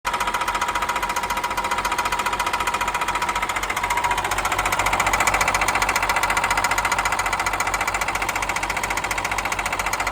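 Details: Cat 316 marine diesel knocks hard and regularly, two to three raps a second, after a rebuild; the engine was bought from a broker and the knock appeared after installation.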